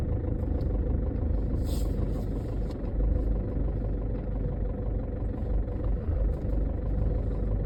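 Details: 2011 Chevy HHR with code P0011, which also makes noise at slow speed: petrol engine idling with a low, uneven, lumpy rumble rather than a smooth hum; rough idle, cause not confirmed.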